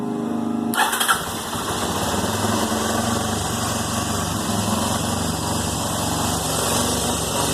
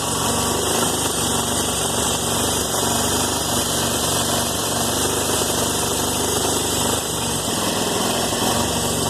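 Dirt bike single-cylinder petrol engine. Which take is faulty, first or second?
second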